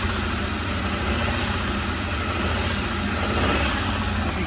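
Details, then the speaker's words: 2003 Ford E-350 van with 5.4-liter V8, sat for two years: uneven, stumbling idle with a steady straight miss on one cylinder just after start-up; a pocket scanner shows no codes. "hear that it's got definitely has a straight miss in it"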